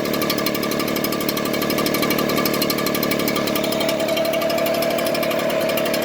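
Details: Echo two-stroke blower idling: small engine buzz with uneven wavering beat and faint rising tone near end; rough idle, cause not confirmed.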